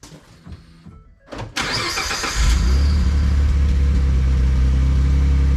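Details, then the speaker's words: Ford F150 EcoBoost after exhaust repair replacing an eroded flex pipe broken from the muffler: starter cranks briefly, engine settles into a deep, steady idle with no ticking or exhaust puffing. "well there's our what's called post fix uh sound"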